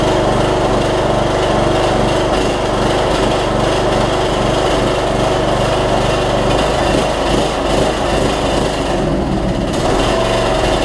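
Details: Troy-Bilt Bronco MTD riding mower after repairing transaxle drive with new spring: steady even engine drone with no knocks, misses or surging while it runs and drives; normal running.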